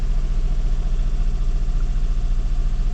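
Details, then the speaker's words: Duet with ongoing stumbling after throttle work that didn't help: low idle surging about three to four times a second, hunting speed; cause unknown, one error code to be read. "сейчас вроде завёлся но оп и начал тоже само а нет чуть-чуть скинул"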